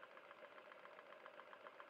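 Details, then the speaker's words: Stuart No1 model steam engine, rebuilt with new machined parts and a bolted (not pinned) 60 Rockwell hardened crankshaft, run on boiler steam at about 25 psi: light, even chuffing about seven beats a second, very smooth, no knocking; normal running. "But very, very smooth now. No knocking, really. Sounds like quite a powerful engine."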